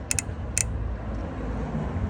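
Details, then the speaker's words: Suzuki GSX-R 600 during a cam timing correction: the cam chain tensioner is plugged in after reinstallation. Three sharp clicks, then a quiet hum, as the spring-loaded tensioner ratchets out and tightens the chain normally. "Once you got that zip tied, after you reinstall the CCT, you going to plug this in. You'll hear it click a couple times."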